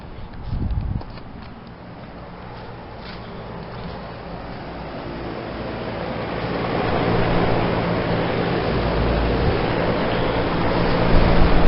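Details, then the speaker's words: 2016 Lennox Merit Series 3.5-ton heat pump running in heat mode: steady fan whoosh with low hum, compressor barely audible, no rattles or squeals; normal operation. "Yeah, I can't even hear the compressor. All the noise seems to be coming from the fan."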